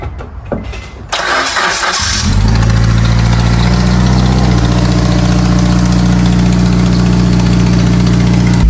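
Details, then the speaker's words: Acura RSX Type-S with the K20Z1 is cranked, catches and settles to a fast idle with a buzzy rattle up front: an exhaust leak, which the owner believes is a missing donut gasket between the headers and the cat. "Rattling you guys are hearing up front right now, that's just an exhaust leak. I believe the donut gasket is missing between the headers and the cat"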